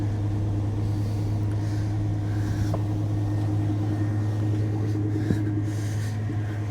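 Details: 1980 Dodge W200 Sno-Commander plow truck just after replacing a failed starter with a reman AC Delco unit, switched from 4 high to 2 high: low even V8 rumble at steady idle, no clunks, stumbles or surging; running normally.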